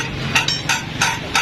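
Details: 70cc motorcycle silencer, removed from the bike, gives sharp metallic clanks about three per second as it is jolted: loose internal baffle rattling, before cleaning and repair.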